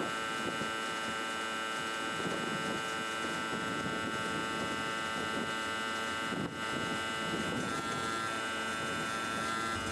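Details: REO truck, first start of spring after sitting unused over winter, cold start with choke and throttle pulled out, in neutral with parking brake on: a steady harsh electric buzz over the idling engine is the low air pressure warning, as brake air has not built up yet.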